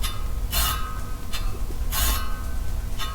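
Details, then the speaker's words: Radial-spoked bicycle wheel in a truing stand: sharp light ticks about once a second as two rim high spots catch the gauge under the rim; fixed by tightening spokes on both sides at each hop. "there's actually two there's one two one two one two that one there really little so we'll work on that one first when you take hops out high spots you don't work on one side of the other you work on both sides"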